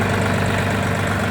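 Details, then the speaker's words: Mitsubishi MT20 four-wheel-drive mini tractor, diesel, 517 hours: steady low chug at idle with an even beat and no knocks or hunting; the engine runs evenly. "наработка данного трактора составлять 517 работать часов двигатель работает ровно"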